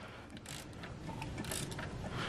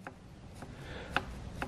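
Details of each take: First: VW Golf Mk5 GTI engine, seized and stripped (oil pump/pickup pipe suspected), turned over by hand. It gives slow ratchety clicks and light gear whir and spins freely with no binding; the chain is intact, the tensioners tight, and the balance shafts turning. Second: VW Golf Mk5 GTI turbo, engine stripped: hand-turned turbine wheel gives light hollow knocks, moving only about three-quarters of a centimetre before hitting a hard stop both ways, with some shaft play; turbo faulty.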